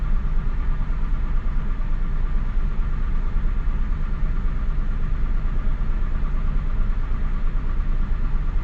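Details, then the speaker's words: Mazda Bravo B4000 ute after idle control valve replacement, engine still cold: smooth even low rumble at slightly raised speed, settling toward 1,000 rpm with no misses or knocks; healthy cold fast idle. "and cuz the Ute still cold we haven't let it warm up or nothing that's why it's not ID at 1,000 so it's still it's it's coming down there it's almost at 1,000"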